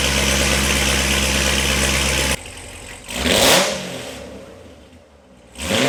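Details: C7 Corvette Z06 V8 after LG Motorsports long tube headers, high-flow cats, X-pipe, O2 sensors, new plugs and oil: loud raspy idle, then a quick blip rising and falling cleanly, even lope, no misfire; healthy, Corsa to clean rasp.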